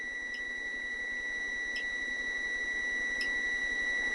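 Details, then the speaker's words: 1972 Honda Z50, no-spark diagnosis: continuity tester clipped to the black points wire and ground gives a steady, unbroken high tone, good continuity even with points open. "So we have good continuity right there. You can hear it."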